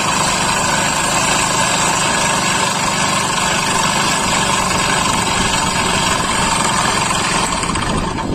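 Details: Old-model Hero Honda Splendor single-cylinder engine brought in by a customer for a loud noise: harsh, clattery idle from the bottom end, indicating crankshaft knock.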